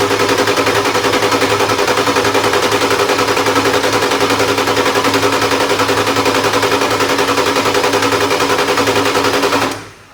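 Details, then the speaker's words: 1996 Ford F350 7.3 diesel not started in years, new starter fitted: steady cranking about three and a half beats a second, never fires; air in the fuel system, fuel now arriving, owner suspects the tank. "keep getting air of the fuel because i think that tank okay all right let's try to roll hear that bunch of air but we're getting fuel now"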